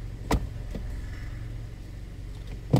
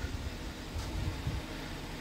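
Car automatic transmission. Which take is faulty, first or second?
first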